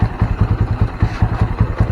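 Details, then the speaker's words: Honda Mega Pro (KEH) single-cylinder after breakdown with charging fault, full-wave stator checked: low even thumping about five beats a second, no misses or rattles; charging now 13 V at idle, previously not rising; healthy idle. "Ini udah 13 ya, stasioner aja udah 13, tadi kan nggak naik ya sebelumnya."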